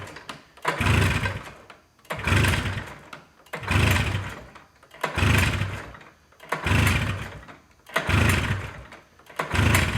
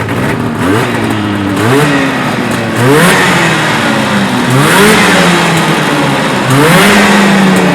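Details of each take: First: Arctic Cat Jag two-stroke snowmobile after a clogged pilot jet was cleaned, long-sitting old blue fuel and rusted plugs: engine surges in bursts about every 1.5 s, loading up with raw fuel it won't burn and never clearing; running rich. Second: Arctic Cat Jag two-stroke snowmobile after carb cleaning (clogged pilot jet) and choke seated: revs blipped up and down climb and drop crisply with no stumble or misfire; runs clean and normal.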